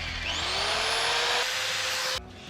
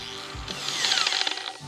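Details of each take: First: Returned Harbor Freight tool plugged in for a test run: the motor spins up to a steady high whine that holds even, then cuts off cleanly, with no grinding; it runs normally. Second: Returned Harbor Freight grinder/polisher running off axis: high thin motor whine with quick irregular ticking inside as it spins; something loose rattling around inside.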